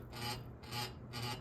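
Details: Ceiling fan making a soft rasping scrape about twice a second, in time with the turning blades; something is rubbing and the cause is unclear; rubbing noise.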